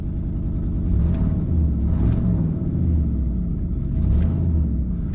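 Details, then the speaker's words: 2008 Ford Expedition, 147K miles, idling with a deep uneven beat and a mild misfire stumbling about once a second, missing less than the day before; exhaust leak also audible. "wow that sounds better today okay it's not missing nearly as much as yesterday"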